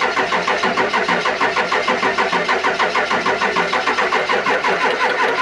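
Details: Ford 7.3 Powerstroke diesel being started after power steering pump replacement, to bleed fluid: starter grinds in a steady sluggish rhythm about three pulses a second, never catches; slow crank, no start, needed a jump pack.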